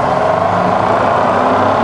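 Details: Rebuilt Bridgeport mill, variable speed head, 240V single phase, high range, spindle at about 1000 rpm rising toward 2000: steady even whir with clean mid-pitched tone, no knocks or grinding; spindle running normally.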